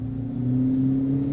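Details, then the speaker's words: Land Rover Discovery 2 with 1-ton axle swap on its first test drive with a new muffler: steady, smooth low V8-like exhaust drone that firms under light throttle, good tone, not overly loud; normal exhaust. "it sounds the best it ever has it sounds like a v8 now it's just got good tone it's not super noisy"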